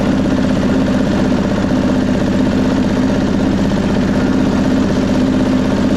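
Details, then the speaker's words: 1999 Craftsman lawn tractor, 20 hp V-twin, uneven lumpy idle with an irregular beat around three per second during a mowing test; rough running, owner suspects carburetor flooding needing a carb clean. "All right. Well, to me it sounds like a carb issue and we've had some flooding problems."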